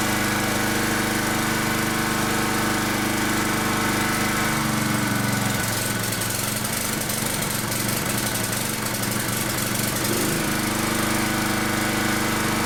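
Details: Second-hand generator with new carburetor and badly blocked, mucky air filter, running before filter replacement: steady drone turns uneven and lumpy for several seconds before settling; rough running from blocked air filter.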